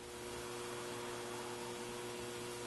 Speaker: it has the most common problem it has a loud background hum so let's switch it on and if you listen carefully you can hear the hum